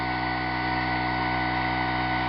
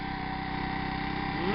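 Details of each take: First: 25 cc four-stroke leaf blower engine on a synthetic fuel formula of about 80% natural gasoline, upper 70s–low 80s°F; steady high buzz at full throttle for about four seconds, then smooth wind-down, a healthy full-throttle run. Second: 25 cc four-stroke leaf blower engine on a synthetic fuel formula of about 80% natural gasoline; small single-cylinder idle with slightly uneven thump, a bit more shaking than normal, and the fuel possibly on the verge of 87 octane.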